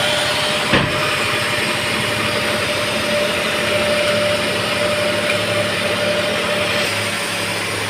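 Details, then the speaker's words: Datsun Redigo 800cc, just after engine overhaul (head gasket) for overheating that spat coolant at 94°C, with coolant topped up and bled and belts tightened; smooth, even idle with a steady hum and no knocks, ticks or misses, healthy. "बहुत बढ़िया, मज़ा आ रहा। बस अब इसका automatic fan check करते हैं कितने पे चल रहा है। एकदम आ गया ना शांत।"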